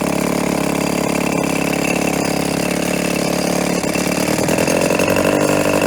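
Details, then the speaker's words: 1990 Evinrude 3.5hp two-stroke outboard, tuned up after having no spark: steady, even buzz with no stumbles or misses, note holding level; running smooth, low on fuel. "very smooth uh it's going to crawl it's gonna have a nice height"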